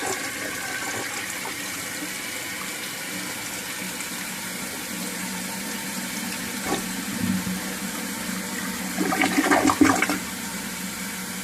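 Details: First flush of a just-installed 1958 Canadian Standard Cadet toilet with a regular flapper: a strong rushing flush with swirling water, then a steady refill hiss and a gurgle near the end; a normal flush.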